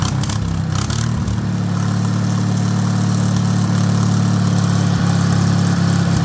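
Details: Rebuilt Wisconsin THD air-cooled engine on a bench, babbitt and shell-bearing rods reused, factory aluminum head swapped for a flush cast iron head; after a brief catch, steady even low thump about four beats a second, no knocks or rattles: healthy running.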